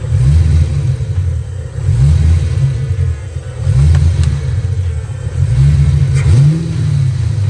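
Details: Ford Foxbody Mustang, after PIP pickup and TFI swaps: deep lumpy rumble stumbling unevenly as it revs up and drops back; misfire traced to a bad distributor, spare distributor also bad.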